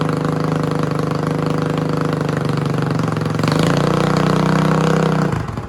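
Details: Yamaha 225DR Tri-Moto under restoration, cold, choke given by hand: single-cylinder thumper pulses steadily, picks up briefly with throttle, then dies cleanly when cut; runs evenly with no knocks.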